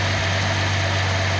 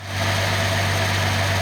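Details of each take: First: Nissan L28ET at idle after manifold gasket repair, one injector deliberately disabled to show a miss; faint stumble each cycle as that cylinder drops out. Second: Nissan L28ET six at idle after new manifold gasket fixed misfire; much smoother, steady low hum with no dropped beats, firing cleanly on all cylinders.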